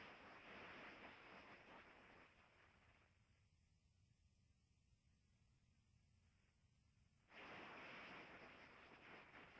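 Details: Scrap refrigerant coil, ends brazed, pressurized with nitrogen, heard through ultrasonic leak detector headphones: loud steady rushing hiss that dips briefly then surges back; leak so big it distorts sound all around it.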